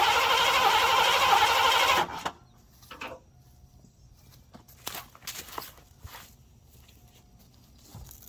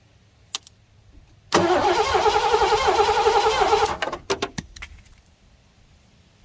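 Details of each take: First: 1987 Mercury Grand Marquis LS that sat almost a decade, suspected bad fuel pump relay with no pump heard: it catches on sprayed brake cleaner, runs hard about two seconds, then cuts dead; a fuel-delivery no-start. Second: 1987 Mercury Grand Marquis LS that had sat since at least 2017, cranked after fresh Rotella T4 15W40 oil: steady, even cranking about four turns a second with no binding. The engine is not seized.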